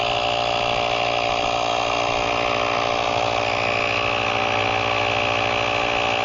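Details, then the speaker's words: GrePro 1533 portable USB-C tire inflator set to auto-stop at 40 psi, inflating a slow-leaking tire from 28.4 psi: steady even buzzing drone, constant pitch, no knocks or stumbles; normal running. "So I turn it on, it's gonna automatically stop at 40 psi. Let's see how long it takes to inflate this tire."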